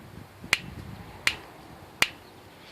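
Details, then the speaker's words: Bontrager Rhythm Comp 26-inch bicycle rim at 28 psi: sharp, crisp ticks each time the tire is pressed at one spot; quiet at 15 psi or lower; oil near the rim weld may help temporarily; cause unconfirmed. "Rhythm comp 26 in uh uh rim and listen to that noise man just driving me absolutely nuts as the noise so I'm going to take the tire down see exactly what's causing that but this is what the noise is about I'm just pressing the tire right there"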